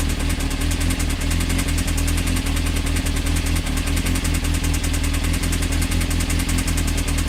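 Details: Honda CBR motorcycle engine idling: heavy irregular low knock about every half second under exhaust beat, suspected bottom-end knock; advice: stop running, pull oil pan, check rods for play on crank.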